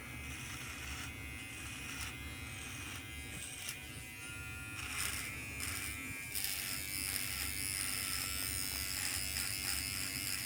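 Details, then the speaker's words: Surker Pro Li SK 7206 electric trimmer cutting about a week of hair growth: high buzz that dips and strains in bursts then recovers; owner unsure whether it is bogging down, though it cuts without pulling. "Now, I don't know if that's the sound of it bogging down. I'm not exactly sure. But it seems to be cutting fine."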